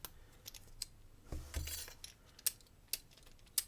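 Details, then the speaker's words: Adapta J40 lock reassembled into a Federal 406HE padlock body, ball bearing compressed and riding the inner groove with shim refitted: three crisp clean metallic clicks, no scraping; lock mechanism seated correctly, normal. "Ah, good. Hear that? That means it's right."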